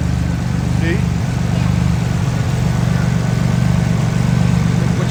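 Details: Engine idling after RJC V-Band exhaust gaskets were installed, heard on a walk-around: steady, even low idle burble with no ticking or puffing from the joints; exhaust sounds sealed and healthy.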